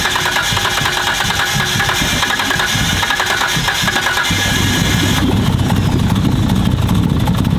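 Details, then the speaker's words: First start of a freshly built 1500 hp Nissan Skyline R32 GT-R engine: loud, lumpy, aggressive idle holding a steady beat with no knock or rattle, no visible leaks; normal idle. "It has been too long since I've heard this thing, man. God. Let's go. Sounds angry, boys. Sounds angry. God, sounds so good."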